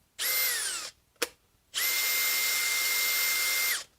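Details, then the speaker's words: Makita hammer drill, smelling like it's burning: two trigger pulls with a shrill, steady high whine that sags in pitch as it spins down; abnormal motor noise. "yeah it smells like it's burning big time see this is how the xph sounds this doesn't sound good at all"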